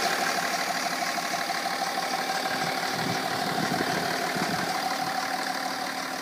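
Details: BMW 330d E46 diesel at idle with a faint thin tone and a clattery undertone that shouldn't be there; source unclear.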